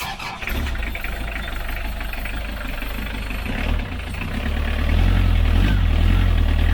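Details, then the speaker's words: Sailboat diesel inboard, push-button start after heating the glow plugs, fed from a temporary small fuel tank after the fuel was bled: it catches first try and settles into a steady, even chug. Healthy start and idle. "It bled it up and it ran like perfectly straight away."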